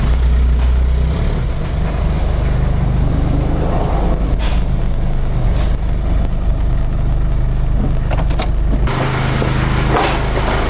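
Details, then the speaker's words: Mazda Bongo with intermittent no-start after sitting a day or two and battery drain, running after a hard start, smoking heavily: deep, uneven idle that lumps and stumbles with no steady beat. Rough running, cause unclear. "so we've tried again a bit of start your bastard it's got the bloody thing running it's absolutely smokes out of the place"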